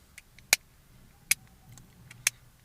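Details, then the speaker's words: 2001 Opel Corsa C 1.2 indicator/wiper stalk switch, removed for preventive maintenance: three sharp, hard clicks instead of the normal muffled sound, because it is ungreased; slight play also noted. Planned fix is cleaning off old grease and applying silicone grease. "El normal ar trebui să se audă înfundat când funcționează. Dar ne mai fi îngresat și văd că are și un mic joc. Ne fi îngresat, bineînțeles că se aude clanț."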